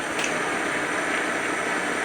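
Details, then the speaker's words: 1940s horizontal milling machine driven by a treadmill motor replacing the original three-phase motor, knee (Z-axis) power feed moving up: even motor whir with light steady gear hiss; smooth, normal running. "now if I want to use the Z or the knee height this is for that pull that out so it doesn't hit me"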